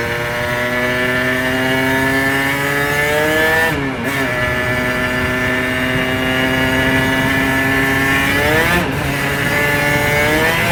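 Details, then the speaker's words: 1990s Aprilia RS125 two-stroke on its first ride, fresh premix: revs climb and flare while the pull stays soft, dropping at each shift. The clutch is slipping badly under power, worst once the power valve opens. "No, the clutch is slipping really badly, to be fair. You can probably hear it, can't you?"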